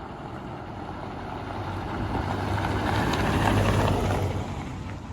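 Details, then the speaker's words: Land Rover Discovery Sport HSE diesel after new turbo fitted: smooth, even note on yard runs and road test with no knock; normal running. "Sounds all right. Nice to hear it not knocking, very nice."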